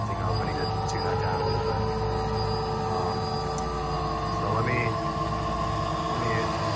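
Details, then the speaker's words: Quadrotor biplane tailsitter VTOL (Teensy 4.0, MPU6050, 12A ESCs, 2200mAh 3-cell) hovering in quad mode with slight wind: steady horn-like whine over the motor drone; suspected derivative term in the flight controller. "That really awful whining, I don't know if you can hear it, not just the motors, but it's sort of like a horn. I think that's the derivative term in the controller"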